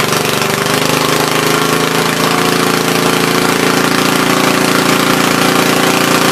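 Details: Troy-Bilt tiller after replacing bad spark plug: holds a steady, fast, even chatter without stumbling or dying, running properly.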